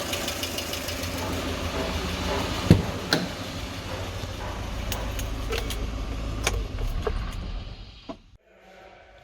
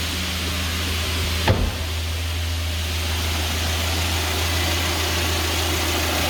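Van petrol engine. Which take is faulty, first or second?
first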